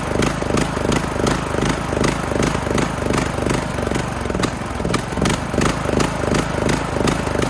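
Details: Craftsman LT2000 mower single-cylinder engine after new air filter, run directly off a battery: steady, even chugging with no misses or knocks; runs smoothly, sounds healthy.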